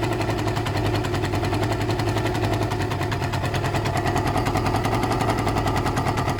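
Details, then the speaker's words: Suzuki ZL600 Eliminator twin idling off choke after carb work: fast sharp ticking puff in time with idle, crisper than normal exhaust; air leak at the exhaust pipes. "What I need to look at is the pipes. Are there any air leaks, any gaps? Any air coming out anywhere?"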